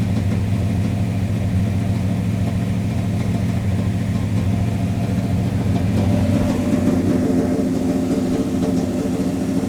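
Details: 1985 Monte Carlo SS 350 Chevy, unused for a month and just flooded, warming up to operating temperature with smoke from a suspected leaking valve cover gasket: steady, even low rumble without stumbles; normal warm-up idle.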